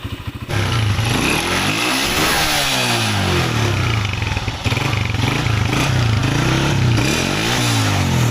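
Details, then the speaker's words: Honda CG125 after repair. A dangerous noise had suggested cam or rocker damage, but the cause was a support that was welded on. An even single-cylinder beat with smooth throttle blips and no top-end tapping or clatter: the noise is gone. "بالکل گاڑی ہماری جو ہے وہ sound proof ہو گئی ہے, سن ہو گئی ہے, کوئی آواز نہیں ہے کسی قسم کی."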